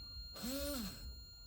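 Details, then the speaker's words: 1984 Mazda RX-7 GSL-SE, key on after trunk strut replacement: short whirring tone rises and falls for about half a second from the rear, believed to be the rear windshield wiper motor; owner suspects mechanical rather than electrical issue. "I think that's the motor of the rear windshield wiper or something back there I think this is a mechanical issue not necessarily an electrical issue with the strut but I'm not sure"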